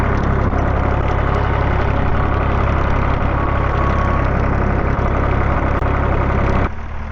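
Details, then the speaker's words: Massey Ferguson 231 diesel tractor after repairs, oil, coolant, fuel and hydraulic oil levels good, before mowing: deep, steady rumble with an even beat and no knock or rattle, until it drops off at the end; sounds great, idling normally. "All right, let's rock and roll. Man, this sounds great."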